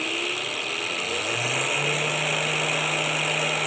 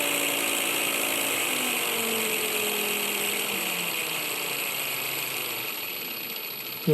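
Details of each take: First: Small motor run from a 12–24 V 30 A LED-strip PWM dimmer, spun up to higher speed: steady hum and hiss with no winding whistle, which is audible only at low speeds. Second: Cordless angle grinder motor, 19.2 V, 7000 rpm, run on a 12–24 V 30 A LED-strip PWM dimmer at minimum: thin steady high whistle from the winding over motor hum sliding down as it slows; whistle inaudible at higher speeds.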